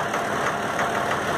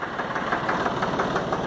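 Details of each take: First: Valtra A750 three-cylinder diesel tractor at idle: a steady stumbling rhythm of about three uneven beats a second, a misfire with one cylinder dropping out from a sticking injector. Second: Valtra A750 three-cylinder diesel tractor, earlier misfiring, some air bubbles may remain; idles with a steady, even knock rhythm and no dropouts or stumbles; normal idle.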